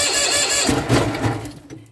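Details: Cold start of an old Bolens tractor, owned eight or nine years, not run for about a month, battery charged first, throttle up and choke on: rough, labored cranking catches briefly then dies within two seconds. Hard cold starting.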